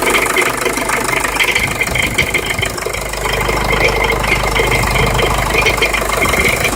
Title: Jeep liberty CRD rattle/grind noise